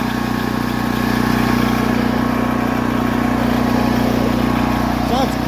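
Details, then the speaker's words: Predator 8750-watt Harbor Freight generator after carburetor replacement to fix a no-start, electric start: steady, even drone at constant pitch, much quieter, no misses, surging or knocks; normal running. "God, it sounds so much quieter."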